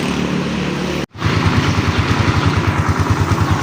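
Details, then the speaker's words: Raider 150 Fi, overhauled elsewhere but noisy right after, with unreplaced parts, parts reversed and wrong timing: cold idle unrevved with loud rough uneven thumping and clatter from worn crankshaft main bearings; louder when revved. "Ayan yung tunog ng makina. Ayan naririnig niyo naman maingay."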